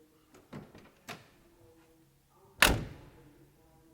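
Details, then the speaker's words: Holden EJ/EH car door closing, old car bought as a barn find; one firm, clean thunk with no rattle or buzz after, a solid, well-sealed door. "my son walked around and he just closed each door and he said never listen to this we just bought it on the spot"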